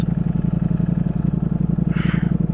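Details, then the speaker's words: New 2022 Ducati Streetfighter V4S, stock exhaust, around 70°F, stopped in neutral; loping uneven low thump as rear two cylinders shut off, coming back on as clutch is feathered; normal cylinder deactivation, not a misfire. "it actually shuts off the two rear cylinders and you could actually hear it you could actually hear it come on as you feather the clutch"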